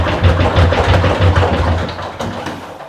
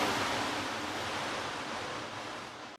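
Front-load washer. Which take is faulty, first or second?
first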